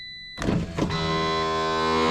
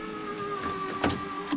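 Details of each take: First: Driver's door window on a car whose window hasn't rolled down in a while, key on and switch pressed: a couple of clunks, then a strained, steady motor drone for about two seconds as the window struggles and drops; broken window regulator. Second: Honda driver's door window after repair with the door panel reinstalled: smooth, even motor whir at a steady pitch, ending with a soft thud as the glass seats; window working normally.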